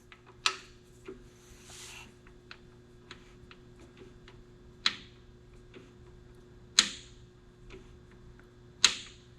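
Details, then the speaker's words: Jeep 4.0 engine core turned by hand with plugs in, showing little compression (suspected overheat crushing rings): sharp, isolated clicks every couple of seconds; a timing chain is suspected, origin unknown. "You hear that? I don't know if you can hear it. There's a pretty distinct click."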